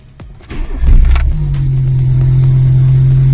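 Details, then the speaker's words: Pierburg 2E carburettor VW Polo after carb cleaning and new gaskets, cold start with choke set by throttle blip: short crank, catches at once, settles into strong steady low drone; clean cold start, mixture good. "Le damos un toque al acelerador y lo soltamos despacito. Esto es para que actúe el starter."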